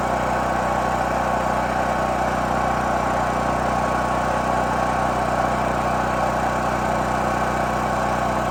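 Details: New Holland Agriculture 6500 W generator, previously seized after running low on oil, restarted with fresh gas, valve cover and spark plug refitted; steady, even drone at constant speed, no knocks, misses or surging; normal running.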